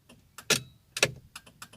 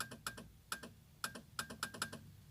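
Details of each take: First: Ford Fiesta Zetec Rocam turn signal, right side previously dead with relay noise, fixed at the indicator stalk switch: crisp, evenly spaced relay clicks in quiet cabin, about two per second, no stutter; flasher working normally. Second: Ford Fiesta Zetec Rocam: with the right turn signal on, nothing lights on the dash or the front lamps and the relay chatters in quick irregular clicks; the left signal works; faulty turn signal switch, later fixed.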